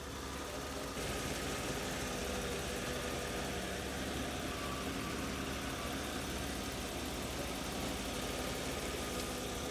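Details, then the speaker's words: BMW E31 850i V12, revived after ten years stored, idling smooth and steady after the timing chain tensioner was reinstalled; no tapping builds up past 20–30 seconds, the chain noise is fixed. "No noise! It is working beautifully. There's no more noise. Can't believe that fixed it."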